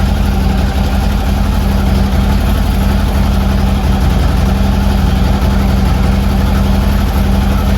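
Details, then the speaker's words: Harley Twin Cam, first start after a Drag Specialties clutch install: strong, deep, steady thumping at a raised cold idle, about four pulses a second, even and settling; normal fast idle. "Gonna wait for the idle to come down a little bit."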